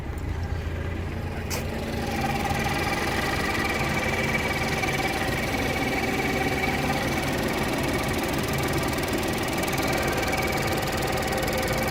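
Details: Ford Focus ST petrol engine running with a steady high whine from the engine bay, holding a fairly constant pitch; cause unknown.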